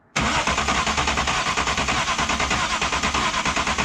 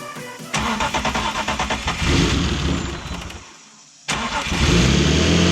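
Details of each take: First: BMW E36 turbo M52, earlier with no compression on cylinder 4 after a suspected stuck lifter, cranked with all six plugs in: even beat of about three pulses a second with no gallop. Compression is much more even, though one or two cylinders are still lower. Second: BMW E36 with a turbo M52 on E85, at first start after lifter replacement following a suspected stuck lifter: cranks, catches and idles with quick, even ticking from used lifters that sat dry for years and are still pumping up.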